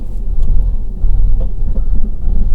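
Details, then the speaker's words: 2011 1.2 Lounge car bought at auction, check-engine light on, idling: lumpy, uneven low thumping with irregular stumbles, banging and crashing; engine misfire, owner suspects throttle body or other, awaiting ECU scan. "it's banging and crashing now that could be all sorts of things so hopefully my ecu scan will tell me what it is if it's a throttle body or i mean it's it's missing isn't it big time"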